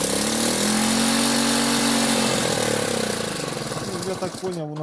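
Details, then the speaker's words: Delta moped, plug cleaned, choke flap set to middle: two-stroke buzzes unevenly, pitch wavering and sagging, stumbling and nearly dying; owner hears the plug sooted again, most likely from fuel that sat for months. "то що по звуку чути, що свічка нагоріла і погано працює."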